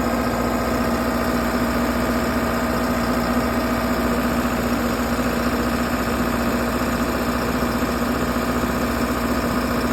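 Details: 60kW Kohler REOZJ diesel generator on a mobile MRI/X-ray trailer, running with fuel solenoid wired in and starter jumped after control board failed. Steady even diesel chug at constant speed, smooth hum, no knocks or hunting; normal idle.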